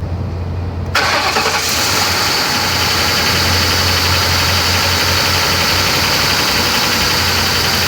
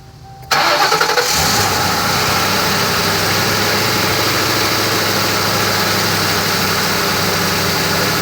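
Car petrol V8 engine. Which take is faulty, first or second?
first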